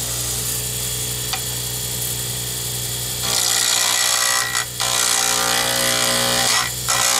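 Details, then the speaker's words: Wood lathe turning a D-shaped circuit board pen blank for a Zodiac kit: fast, even clunk-clunk clatter over the lathe hum as the gouge hits the corners twice per turn; normal for a D-shaped blank. "so I'm going to let you hear more of this than I usually do so you realize when you hear the clattering that uh that is normal when you're working with a d-shape you're hitting the corners twice so you are going to hear it clunk clunk clunk"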